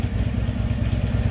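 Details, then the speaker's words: 2010 Harley-Davidson Ultra Limited, about 10 years old with 108,000 miles, after primary shaft bearing replacement: loping V-twin idle with light rattling chatter over each firing beat, confirmed as the worn, probably original rubber front motor mount. "so i can still hear a little bit of that chatter but that has been confirmed also that is the motor mount so they're just rubber with you know they wear"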